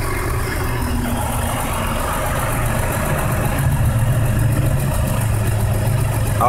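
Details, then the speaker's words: 1999 BMW 528i after spark plugs, ignition coils, oil pressure regulator, cleaned idle control valve, water pump and thermostat: still a low, lumpy, shaking idle that stumbles every few turns; codes P0301, P0302, P0303, P0305, P0306, P0505, P1510. Rough idle misfire, cause unknown. "so it's still like shaking"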